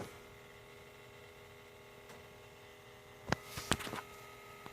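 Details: 2017 Honda CR-V Touring 1.5 L turbo, switched off and parked over 4 hours: faint steady hum with a few soft clicks, recurring, later shut off by itself; cause unknown; humming with engine off.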